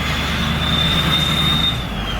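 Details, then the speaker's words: 6.0 Powerstroke diesel, otherwise stock, with newly installed KC Stage 3 turbo (68/94mm billet compressor, GT42 turbine) while driving: loud steady high whistle over diesel rumble, normal for the new turbo; builds boost fine. "Oh, screaming, dude. They ain't even getting on it either. The boy's ripping."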